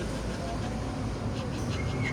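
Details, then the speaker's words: VW Gol G5, MQ200 manual gearbox: heavy, steady low roar inside the moving car, mistaken for a wheel bearing, from the worn gearbox double bearing, which had play and left much metal filings in the oil; also scraping gears. "Eu vou mostrar para vocês a folga e repara no finalzinho do vídeo o barulho que esse rolamento tava fazendo."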